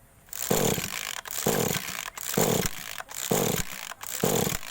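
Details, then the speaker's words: Small two-stroke agricultural sprayer engine (hard starting when cold), ignition coil recently replaced, at idle: surges and sags about once a second, cannot hold revs. "Aduh mati ya ini posisi langsam kita coba gas mungkin rpm nya kurang besar"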